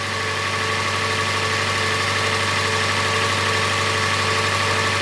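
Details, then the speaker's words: Just-started petrol engine idling evenly with light steady tick about four per second; judged ordinary valve noise, sounds good, nothing wrong. "it's not that it is oh then that's just your valves it's normal it sounds good"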